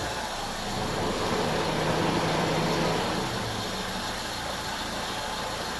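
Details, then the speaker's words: Mitsubishi Lancer, idle lowered with the idle speed screw to the standard 800 RPM: even, steady engine hum with the radiator fan whooshing behind it, no hunting or dips; a stable, healthy idle. "There, so 800 RPM So, now you can see the stability- the sudden drop probably you can hear the radiator fan is working and that is normal."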